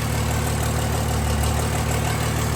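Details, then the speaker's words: Freshly built 1000 HP Cummins diesel with hood stack, both pumps running: deep, even rumble at idle, steady with no misses, knocks or hunting; good oil pressure, voltage slightly low, possibly from uncharged batteries; normal idle. "She's idling good."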